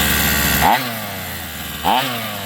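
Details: Rovan 45cc two-stroke in XLT RC after clutch change: two throttle blips rise sharply then sag lazily with a flat, hollow buzz, no power; owner wonders if too rich; compression lost from loose cylinder head bolts.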